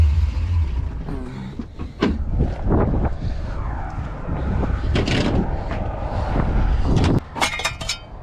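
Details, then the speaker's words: 1966 Corvette 427/425hp big block, after a loose plug wire boot was found: still revs raggedly with stumbling pulses; junk coil wire suspected, cause unconfirmed. "yeah gear drops at about 800 RPMs it's not running right we think we got a plug wire off"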